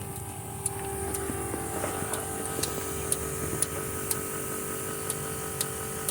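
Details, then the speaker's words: Caterpillar C7 ACERT diesel with power loss and strange noise, injector solenoid test with Caterpillar electronic tool: sharp even clicks about twice a second over a steady hum; injector 5 solenoid sounds splashy, no effect, needs replacement. "en efecto no hace ningún efecto el inyector número 5 y se fijan cuando tuvo la bobina Hace como un salpicado en este inyector hay que cambiar inyector número 5"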